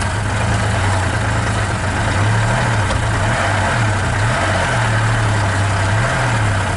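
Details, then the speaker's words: Towed Ford Explorer that seller says has a cracked head, just started: uneven lumpy idle drone wavering about every second; runs but sounds rough, oil pressure slow to come up. "Pressure finally moved. Of course, you don't sound good, but it runs."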